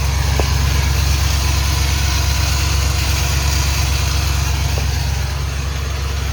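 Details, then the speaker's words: 1996 Ford F150 5.8L gas after starter replacement: steady V8 idle with an extra gritty mechanical whir underneath, unusual noise under truck like starter drive still spinning against flywheel; owner buying another new starter. "there's like a i don't know some some mechanical noise under there that's that usually i don't hear"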